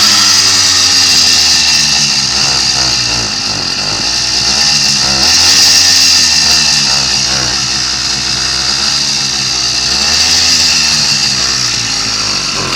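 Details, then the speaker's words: Two-stroke kit motor on a Columbia motorized bike, cold started after sitting unstarted all winter. High, buzzy idle holds steady with only slight slow speed swings while warming, no misfire. Normal two-stroke idle. "yes he's idling now he's had to warm up a little bit that makes me happy"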